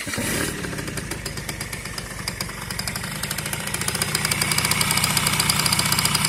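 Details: Yamaha BWS 50 (2JA) scooter engine that suddenly started knocking; sharp steady tapping about three times a second over the idle: engine knock, source unknown.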